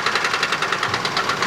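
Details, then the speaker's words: Worn ATV engine with five-speed transmission, fresh battery, first start: sharp regular metallic knocking about nine per second over a rough idle; heavy internal engine knock, severity and cause unknown. "the engines got really bad Rock so we really don't know how bad it is"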